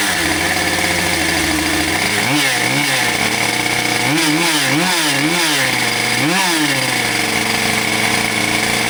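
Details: Husqvarna 572XPG chainsaw, run over, after heated handle replacement and new bar: high buzzy two-stroke note rising and falling through quick throttle blips, then settles smooth and even; runs normally.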